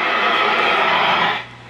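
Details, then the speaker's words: Predicta Siesta tube TV with an added antenna, powered through a cheater cord, just switched on: an even, steady static hiss as the tubes warm up. The set passes static properly. "So let's turn this on. You can hear the static and all the tubes in"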